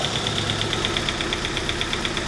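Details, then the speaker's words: 1988 Saab 900 Turbo that sat a long time and was hard to start, running on external starter setup: sharp even ticking about eight per second over rough idle before it dies; bizarre mechanical tick, cause unknown. "look how well she's running though is it I mean she's running so well what is up with this girl you're kidding me there's still a sound"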